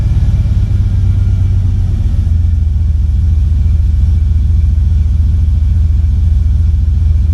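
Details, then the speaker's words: 1985 Monte Carlo, single-turbo 4.8 with 4L80E, hot, restarted after fixing a loud exhaust leak under the header wrap: deep, steady idle with even firing and no ticking or puffing; now quieter, normal idle. "Oh, that sounds a lot better. Like before, it was loud. Now it's toned down, but it sounds better."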